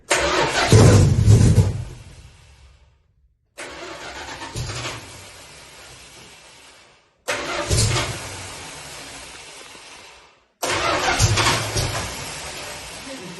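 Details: 1973 Dodge Charger; earlier had gas but no fire: four bursts of cranking each trailing off without catching; spins but won't fire.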